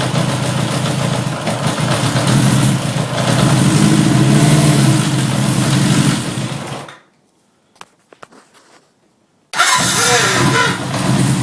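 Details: 1979 Honda CB750K motorcycle restarting with a brief wavering squeal as it catches; similar milder noise at shutdown; owner wonders if the starter is the cause, unconfirmed.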